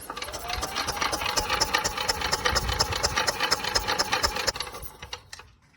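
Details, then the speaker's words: Yamaha golf cart engine, sat 6–7 years, spark plug out, temporary small battery, in neutral: starter cranks about two turns a second with a tinny rattle, raw gas smell as fuel pumps, never fires; cranks but won't start. "Okay, let's see if we crank. Oh, there we go. And I could smell the raw gas now. It's pumping."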